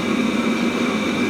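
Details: Webasto Thermo Top C auxiliary heater from a BMW E60, bench-run after repair with a bulb substituting for the solenoid valve. No errors, temperature rising. Steady combustion-fan whoosh with a constant mid-pitched hum, no sputter; burns evenly and runs normally.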